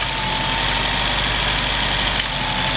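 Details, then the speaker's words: 2002 Nissan Altima with code P0507, low compression and all four coils and plugs new, so the misfire is fixed but there is no power: an uneven, hunting, hollow idle with the throttle position and idle sensors disconnected; a dirty or faulty throttle body is suspected. "so something is obviously wrong with the throttle PL need to be replaced with thr plate or clean at least"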